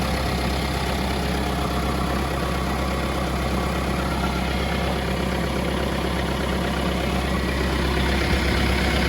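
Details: 2018 Mahindra Roxor turbo diesel UTV, just started after replacing the leaking fuel filter housing O-ring and priming: even diesel clatter at a steady idle, about three beats a second, no leaks or stumbles; normal idle, leak fixed.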